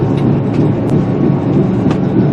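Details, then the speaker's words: 2005 Ford Explorer, heard inside the cabin while driving: steady low droning rumble with a repeating pulsing boom, barely noticeable from outside; worn front wheel bearing. Wheel bearing rumble. "You hear that boom, boom, boom, boom, boom, boom, boom? I hear a little better now. Hear that? Well, that happened to me last night, and I'm pretty sure I know what it is."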